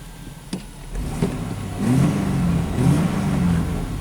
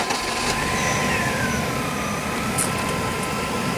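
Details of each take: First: 1997 Chevy S10 pickup (rough running, mornings misfire, codes P0102, P0340) after fuse replacement and codes cleared, still long crank: clean throttle blips, picking up and dropping back evenly without stumble; throttle response maybe better. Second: '97 Chevy S10 farm pickup that runs rough and misfires on cold mornings, with codes P0102 (MAF) and P0340 (cam sensor): idle slightly uneven and loping without clear misses, faint whistle on top; running open loop with no airflow signal.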